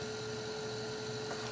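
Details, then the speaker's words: Asus Essentio CM6850 Core i7 desktop with the case off and an old temporary ATI Radeon card at about 97–100°: a steady, even whoosh and mid-pitched hum, no ticking or rattle, mostly the graphics card fan running normally. "so uh now you can listen to the sound I forgot to turn it on a lot of that sound is actually coming from the graphics card"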